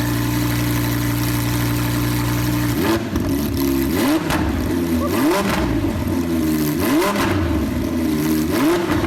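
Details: Wrecked Lamborghini Huracan, first start after its collision, starter bridged, running without the exhaust (straight pipe with cats): the engine fires, settles into a smooth idle, and takes crisp, even blips. Normal start and revving.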